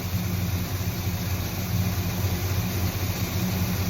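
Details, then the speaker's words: Engine after distributor replacement and timing set, still cold before final total-advance adjustment: smooth, even low idle with a steady beat and no skips, stumbles or misses; running cleanly. "You don't hear no skip, no miss, none of that. That's what you want."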